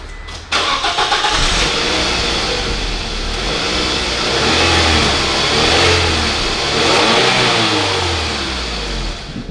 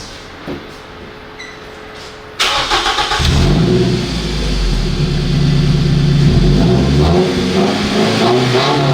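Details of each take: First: Scion tC with stock muffler, before muffler delete, after front wheel bearing repair, heard inside the cabin: engine starts and revs as a muffled hum under cabin hiss; normal, very quiet stock exhaust. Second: Scion tC after muffler delete, recorded inside the cabin: engine starts and revs to about 5,000 rpm with loud raspy booming exhaust drone far beyond stock; loud exhaust from muffler removal.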